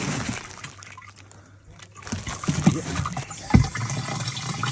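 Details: Loft cold-water tank whose ball valve had been set too low so it only trickled: after adjustment a quiet trickle swells into a strong steady gush; tank now filling properly.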